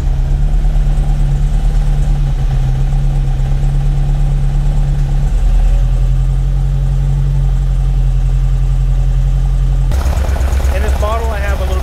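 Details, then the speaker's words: 1978 Ferrari 308 GTB V8 with the smog pump deleted, cold idle; uneven, loping, lumpy beat with some cylinders not firing, so the engine is not running on all eight cylinders (misfire). "So let's go ahead and get this thing started. You guys are going to notice that it's not running on all eight cylinders. You can hear it."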